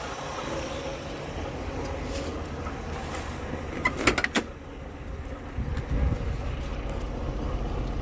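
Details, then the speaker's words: Buick Skylark with a freshly rebuilt carburetor, fed from a gas can because of 30-year-old tank gas and leaking fuel lines: a low, steady idle with an even beat and no misses or knocks. The engine runs smooth; normal idle. "sounds good doesn't it all right quieting down it's actually idling carburetors are really not that hard to rebuild everybody's just afraid of them see that it's just purring"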